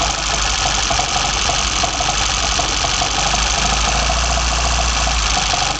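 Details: BMW 318i with M10 four-cylinder engine, first startup after fitting sidedraft individual throttle bodies (Carburetor Man / Dramatic Racing): steady, even idle with hissy intake rush, no knocks or misses; normal healthy idle on individual throttles.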